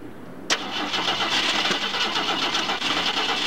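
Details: Ford Maverick cranking but not starting: starter kicks in with a sudden churn, then uneven cranking at about four turns a second that never settles into a run.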